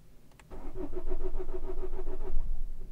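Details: Vauxhall Corsa D 1.3 CDTi diesel with intermittent non-start, code P0685 and CAN communication/invalid ECM data codes, warning lights flashing: starter turns the engine at about four even beats per second for two seconds, then stops without catching; cranks but won't start, cause unconfirmed.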